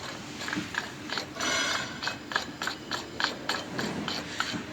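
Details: Car alternator turned by hand: sharp, uneven ratcheting clicks from failing overrunning clutch pulley (ball-bearing head pulley) that locks up and clicks; to be replaced.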